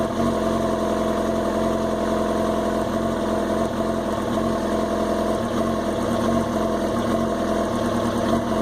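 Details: 2005 Yamaha R6 four-cylinder with a rough idle: uneven, lumpy beat with small wavers in the exhaust note; appeared after a spell unridden though started twice a week; owner fears the coils; cause unknown.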